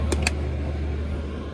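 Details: Chinese diesel heater after fixing E-10 error code: couple of clicks then steady low hum with even airy fan rush; heater running smoothly.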